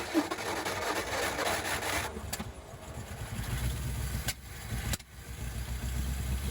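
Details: 1956 Ford Fairlane, first start in 15 years, with new coil and refitted intake manifold and carburetor: rough catch, then a low steady rumble with small wobbles; running on its own again.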